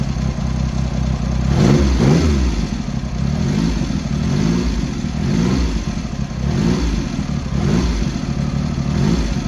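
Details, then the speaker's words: Triumph Hurricane X75 triple, rebuilt carbs refitted, right and centre pilot screws just over a turn out and left carb body suspect; idles fairly evenly with soft burble and blips, slightly rich with dark smoke when revved off idle. "It's across the board, when you rev it off idle, getting a little bit of dark smoke out the back, so it's running on the rich side on idle"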